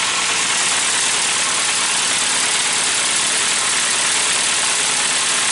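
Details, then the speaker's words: Classic Mini race 1293 engine, first run after cylinder head refit with new valve springs and lapped valves, choke on, warming up: steady, even idle with a smooth airy hiss, no knocks, misses or hunting; smoke is muck burning off the manifold, normal warm-up. "Right guys, I think it's better to say it's running, so I'll just let it warm up for, I don't know, another minute, and not even that, probably enough time for me to walk over there and turn it off."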